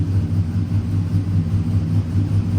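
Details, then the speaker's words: LS V8 truck after an in-vehicle cam swap with new springs, exhaust cutout open, running the old sloppy stage 3 tune on the sloppy stage 2 cam so it runs lean: deep rumbling, steady rhythmic chop, smooth normal lopey cam idle. "Listen to that idle, man. Sweet. It is running pretty lean."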